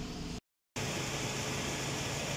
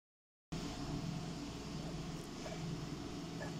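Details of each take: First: Toyota Innova with AC switched on, after replacing an auxiliary condenser fan motor whose bearing had gone noisy and caused engine overheating. The new fan runs automatically with a steady, even rush and low hum and no bearing noise. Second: Toyota Innova auxiliary (condenser) fan making a steady loud whirring roar with a low hum from a worn internal motor bearing. It still runs but is noisy, AC noisy and engine overheating; the fan assembly needs replacing.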